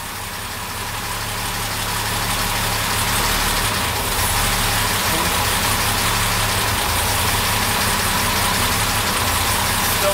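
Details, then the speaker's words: Warm idle while tuning SU carburettors, mixture being richened half a turn at a time: steady but slightly hunting, hollow idle with no knocks; one carburettor is still running a touch lean. "Still a bit too lean. Another half a turn."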